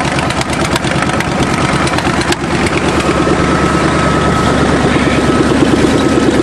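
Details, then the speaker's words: Fuel-injected Chevy 350 5.7 V8 started on a cold winter day: loud, steady, even burble about three beats per second with no knocks or misses. Normal cold idle, a healthy small-block. "throttle's good all righty yes what a car sweet always trust your Chevrolet to start on a cold day it is a Chevy 350 5.7 in"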